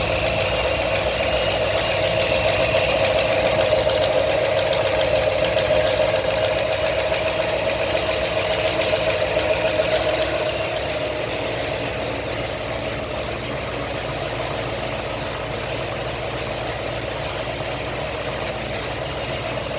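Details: New 347 crate engine (V8) idling with a steady, regular knock of about three to four beats a second over the engine note.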